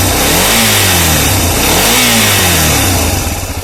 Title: Стук двигателя.